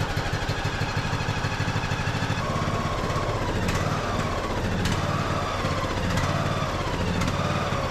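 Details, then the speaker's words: Craftsman YS4500 riding mower, 21 hp single-cylinder, before repair: it lopes unevenly, with speed hunting and a sharp pop about every second; fuel problem causing surging and backfire; tank to be drained, carburetor suspected. "yeah you guys can see having some fuel issues so let me go ahead and get this tank pulled off and drain all that out and then we'll kind of take a peek at this carburetor"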